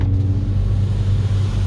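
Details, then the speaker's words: Seat Leon Cupra R 2.0 TFSI 265 PS on a wet test drive with the windows open after the cylinder 4 misfire was fixed: deep even rumble under load, no stumbles or popping, all cylinders firing; normal engine under load. "Fahrzeug fährt wieder, Fehler ist behoben. Jetzt machen wir gerade eine Probefahrt. Wenn ihr wollt, machen wir auch mal einen Soundcheck."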